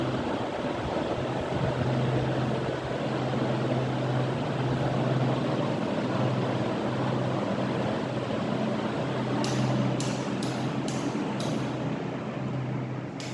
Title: 15 Year Old Ceiling Fan Humming Sound Test | Low and High Speed